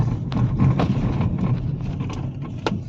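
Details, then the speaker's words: Hyundai Verna on a rough road, with quick rattles and clunks that become heavy thuds in big potholes and go silent on smooth road. "শুনিছে নহয় কৰ কৰ কৰ কৰ কৰ কৰ কৰ কৰ আৰু থাকতে ডাঙৰ গাড্ডাত পৰিলে গুট গুট গুট গুট গুট গুট কৰিব ধৰে"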